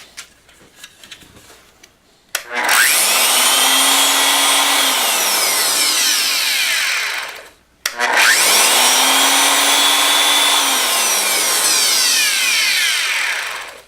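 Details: Porter Cable 7539 3-1/4 HP variable-speed router, about 20 years old, after replacing worn top and bottom bearings: two runs where a high whine spins up quickly, holds steady pitch, and winds down smoothly with no rumble or grinding.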